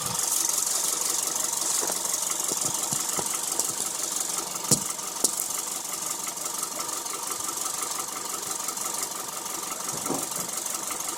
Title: engine ticking sound. Injector or lifter?